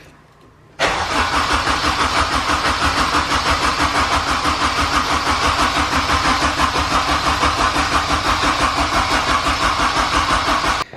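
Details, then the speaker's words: K-swapped Mazda RX7 with a newly fitted Pulsar GTX3076R turbo, first start. Cranked with the ECU off to prime oil to the new turbo: steady starter churn with even compression beats about three per second, and the engine never fires. "well first things first actually we're going to crank it for a minute just to let the oil kind of get in there the new turbo"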